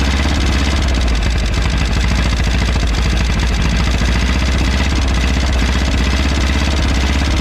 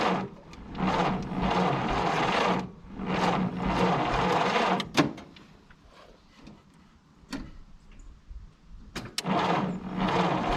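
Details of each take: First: 1951 Willys CJ3A Jeep flathead four running for the first time in about 52 years (last tagged 1969), fed fuel from a bottle with no fuel system yet, smoking and possibly flooded. Deep, steady idle with even firing pulses. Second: 1951 Willys CJ3A Jeep, off the road 52 years (last tagged 1969), cranked in bursts on a 6-volt battery with starting fluid poured in. Spark is weak; it pops slightly but won't catch, possibly flooded.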